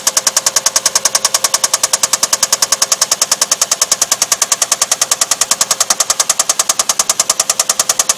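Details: Infiniti V6 VQ35DE running with a sharp, even metallic knock at about 200 per minute over the engine note: rod bearing knock from a spun rod bearing.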